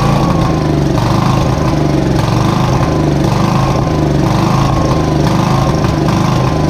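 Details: Briggs & Stratton 531cc engine on a Lincoln Electric Weldanpower welder, untouched for decades, rusted tank, started on starting fluid without gas; pops along unevenly and surges about every second; rough, likely lean running, cause unconfirmed.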